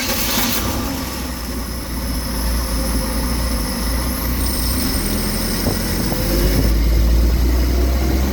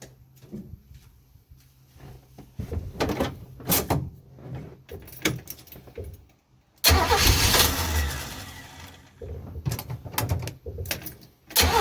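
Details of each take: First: 1967 Chevy 250 inline-six after new plugs gapped at .035 and wires refitted: steady low idle with a slightly uneven beat, still shaking; running rough, timing and carburetor still to be checked. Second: 1967 Chevy 250 inline-six van during tune-up, test start after fitting Ford spark plugs: uneven cranking bursts, catches at about seven seconds and settles into a steady run; starts and runs fine.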